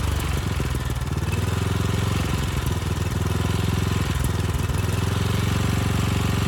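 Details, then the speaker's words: Briggs & Stratton Storm Responder generator repowered with a rebuilt 10 hp engine, short test run without the stator heat shield: steady run with a dull regular knock under the exhaust beat, not the tins as first thought; cause not yet found; engine knock. "the good news is the powerhead seems to work fine the bad news is that noise the knock that i was convinced earlier what were the tins where they meet right here it's not so obviously"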